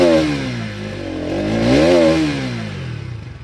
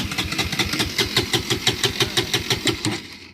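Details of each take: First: Bajaj Pulsar NS200 BS6 that had a starting problem, after the fuel pump began running: it starts on the first self-start press and settles into an even idle thump with no misses. Normal start and idle. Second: Bajaj Pulsar NS200 BS6 with a fuel injector warning on the display: the starter cranks at about three even beats a second for three seconds but the engine never fires; crank no-start, fuel pump not running.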